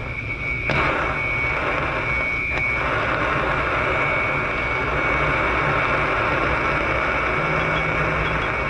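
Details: Beverage-Air beer cooler running warm, likely low on refrigerant, heard through a leak detector: steady rushing hiss with thin high whistle, strongest at the top; refrigerant leak located.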